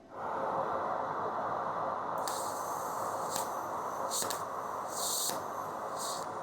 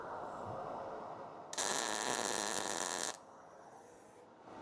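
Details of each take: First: MIG welder with the wire feed speed deliberately turned down during a test tack: an uneven sputtering hiss with irregular pops instead of a steady frying crackle. The arc is stalling, showing more wire speed is needed. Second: A nice crisp sizzling noise is what you want.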